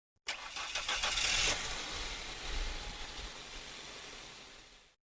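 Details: Toyota Corolla, cold start: harsh metallic clatter for about a second after the engine catches, then it settles. The noise fades after a few moments, and the fault is in the timing chain gears.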